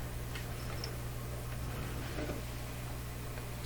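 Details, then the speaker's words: Rogers Majestic 4511 tube radio after an undersized capacitor was replaced with a 1 µF one: a steady, constant low mains hum with nothing playing, exactly the same as before; the fix did not cure it. "let's give it another try here good so far well i can hear a hum"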